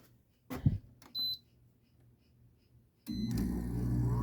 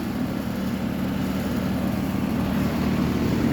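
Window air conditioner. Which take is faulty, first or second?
first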